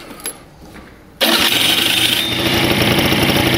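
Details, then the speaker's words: Pegasus Sky 50 scooter with light accident damage, earlier making a bad starter noise: electric starter catches quickly and settles into an even, busy idle with no odd knocks or rattles; normal electric start, noise not reproduced. "hört sich alles sehr gut an"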